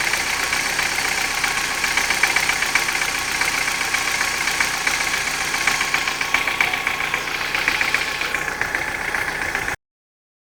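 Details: Engine knocking after hydraulic lifter replacement: fast, even light ticking over a smooth idle when warm, no knock when cold. Valvetrain tapping suspected, cause not confirmed.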